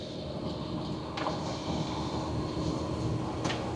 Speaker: I don't hear the trailer bouncing or the tongue bouncing. It feels extremely smooth.